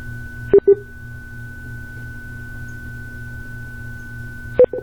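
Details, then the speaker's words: Interacoustics audiometer being calibrated with the ACS Calibration and Analysis System: a steady pure tone with short sharp beeps at the start and end, which show the calibration is going fine. Normal calibration tone sequence. "you see if you hear that beeping in the background it simply just tells me that everything is going fine"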